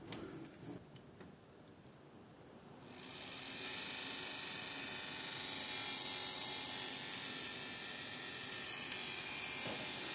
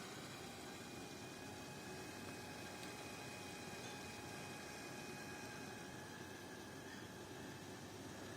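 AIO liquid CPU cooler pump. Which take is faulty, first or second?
first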